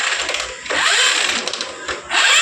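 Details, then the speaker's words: TVS Apache motorcycle that won't start on self or kick: harsh scraping grind with each slow kick, kick very tight and jammed even with spark plug removed; jammed starter one-way clutch. "आप लोगों ने देखा किस तरह से इसके engine से आवाज आ रही है उसकी किक बहुत ज्यादा टाइट है किक बिल्कुल एक जाम हो चुकी है"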